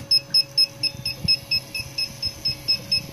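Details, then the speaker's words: CR-10S with replacement v2.1 motherboard at power-up: rapid high beeps about four a second over faint hum, stepper motors cycling back and forth, screen flashing; later fixed by flashing TH3D firmware via FTDI driver — continuous fault beeping. "all the stepper motors are cycling back and forth and it just does this beeping right here"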